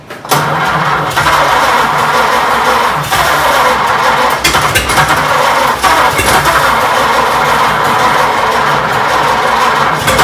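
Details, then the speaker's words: 1926 Oakland after 75 years, restarted with fresh gas, owner suspects gummy rings: catches and runs rough for a few seconds with uneven firing, then fades out; fires briefly then stalls, cause not confirmed. "Go ahead. Yeah, it's showing signs of life there no longer now we've done it. Yeah, Deader, it's gone."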